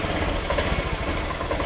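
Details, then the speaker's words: A Honda Beat fuel-injected scooter that still sputtered after an ECU replacement idles with fuel pressure holding around 40. The short, even putter has a steady rhythm with no misses; the idle is normal. "oh ya sulit Ini motor udah langsung normal toh harganya lihat"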